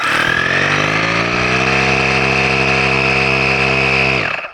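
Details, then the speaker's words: GooLoo portable tire inflator (up to 150 PSI) running: steady, fairly high-pitched buzzing drone with a thin whine on top, even until shut off; sounds loud on the camera microphone but actually not too bad; healthy inflator. "Now, realize the camera has a very good microphone on it, so it probably sounds really loud to you guys, but it's actually not too too bad."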